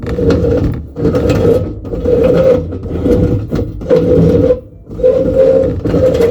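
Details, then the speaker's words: Reliant Supervan during restoration, steering column oil-filled as original, linkage adjusted for no slop: rough groaning scrape with gritty squeal about once a second as the wheel turns; faulty column, owner considers regreasing. "not particularly uh happy with that sound so at the moment it's got oil in it as original but I have heard of a lot of people putting grease inside instead of oil"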